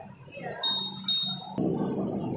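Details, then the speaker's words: Honda PCX smart key answer-back system, volume setting through highest, medium and lowest levels, set to highest: two clear high-pitched half-second beeps; buzzer working normally. "Nah kita bisa sekarang kita bisa setting untuk volume suaranya Oke kedengaran ya Jadi ini yang tertinggi ini yang sedang ini yang paling kecil"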